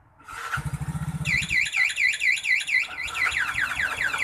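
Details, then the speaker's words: Yamaha Mio GT fuel-injected scooter with a newly fitted Vinyx remote alarm, armed and triggered: a fast low buzzing chirp, then a looping high siren warbling about twice a second. The anti-theft alarm is going off. "Aktifkan alarm tekan gembok kunci satu kali maka Alarm aktif ketika saat parkir terjadi bila terjadi kunci kontak paksa atau dealer Hai maka alarm akan berbunyi dan mesin"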